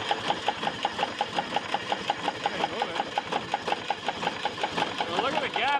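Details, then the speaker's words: Air-cooled 3-cylinder Deutz diesel on a flamethrower build, cranking without starting: even cranking pulses near three per second, never firing; rocker gaps look large and worn, probably why there is no compression, owner also suspects water in the fuel. "the rocker like they're worn but that's probably why it's not getting any compression"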